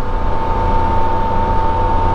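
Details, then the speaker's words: 2023 Can-Am Spyder 1330 engine, cruising at constant throttle: steady mid-pitched whir over an even low drone, no knocks or roughness; normal characteristic whine, not sprocket whistle. "yeah that right there lovely that's just 1330 sounds"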